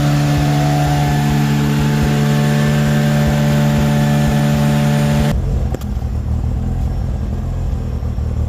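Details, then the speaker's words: Mazda RX8 with 13B REW turbo swap, exhaust noise retest after a failed engineering inspection (about 94 before), 3-inch pipe with original mufflers: deep, mellow, steady revved drone that drops back; now 90.2, within the 90 limit. "I dare say we might see yeah, 89, 90, which is good. 90 is the number that we need to be at. So happy days there."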